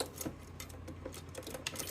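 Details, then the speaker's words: Well-used Everride mower with a Kohler 23 hp engine, 843 hours, all safeties good: light irregular clicks over a low hum while checking the starter solenoid. It clicks but never cranks; the carburetor solenoid clicking is said to be normal. "So let's go ahead and check the starter solenoid, because what it's doing right now, as you can hear, it's clicking,"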